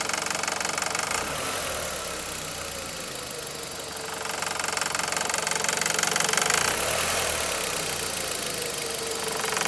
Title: 2001 1.8T Beetle engine knocking